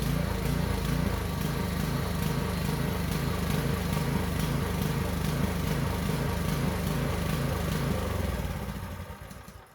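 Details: Concrete vibrator needle's small single-cylinder engine after carburetor disassembly and cleaning runs lumpy with a regular surging beat, about two per second, like a big cam, then winds down; owner suspects gunk still coming through the fuel line.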